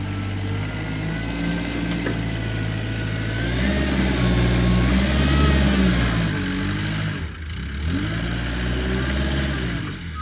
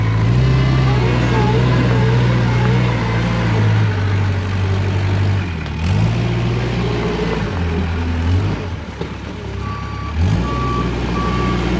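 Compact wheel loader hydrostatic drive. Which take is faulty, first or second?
second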